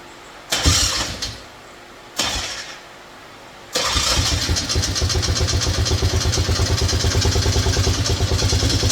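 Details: Yamaha Grizzly 600 ATV, not run for a couple years with bad gas and ethanol-clogged fuel valve, after carb work: two short cranking bursts, then catches and runs lumpy at about three pulses a second; rough running, cause unclear.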